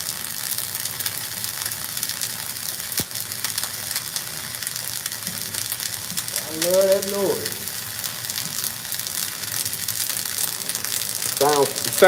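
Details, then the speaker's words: Flux-core welding: even crisp frying sizzle with no pops or sputter breaks; normal flux-core arc running smoothly with good settings. "pretty good right now. Sounds like money. That's the day's pay."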